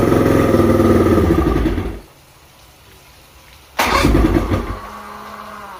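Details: Outboard after a fuel pump and carb rebuild and a plug check: catches, runs briefly and dies, then restarts to an uneven, lumpy idle around four beats a second with a lingering chirp; cause still undetermined.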